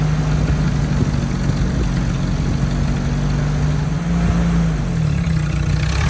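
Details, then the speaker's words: 1967 Jeep CJ5 with manual transmission, off the road 23 years, first start after revival: steady, rather fast idle with deep even drone and no dip; high idle, janky exhaust noted. "it's got a high idle it's got no brakes it's got a janky exhaust"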